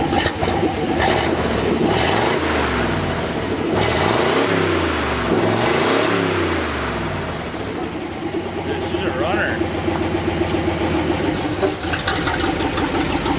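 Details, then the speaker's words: 1964 Ford F-100, revived after nine years, on a road test: the V8 pulls unevenly in second gear, stumbling under throttle. It sputters, and the accelerator pump linkage is suspected to need adjusting (unconfirmed). "runner she kind of sputters in second the sick roads are kind of worn in second too we need to uh adjust that accelerator pump linkage"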